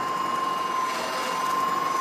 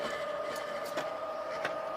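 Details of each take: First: Reel mower in a Allett Stirling-51 versus Swardman Electra 55 comparison: a steady high whine with a faint, irregular rubbing vibration from a support plate, heard when moving up and down; harmless, not damaging. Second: Swardman Electra 55 electric reel mower climbing uphill; soft steady electric hum with light high whine, no rubbing or scraping; runs smooth and very quiet, quieter than a manual reel mower.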